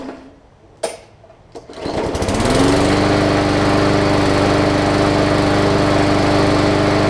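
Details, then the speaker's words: Hyper Tough Briggs & Stratton OHV push mower with a plastic carb that sat over winter with water in the fuel; a few sputters, then it catches and settles into a smooth even drone once the water clears. "excellent so all it was doing is it just needed to fight the battle with the water that was still left in there"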